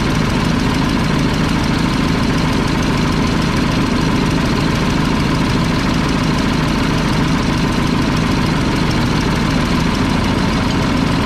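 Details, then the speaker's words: About 1995 Mack tank truck diesel, 122,000 on the odometer, turbocharged, after bleeding injector lines: heavy clatter with an uneven, loping beat as one cylinder drops out; misfire, likely from a loose injection pump delivery valve. "I just realized this delivery valve is loose. That's probably why it's missing."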